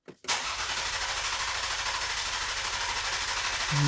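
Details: Ford Explorer ST, turbocharged, with a suspected blown engine. After reassembly, a coolant vacuum-fill and a boost leak found in the charge pipe, the starter spins the engine in an even, rhythmic churn for several seconds, but it never fires: crank, no start.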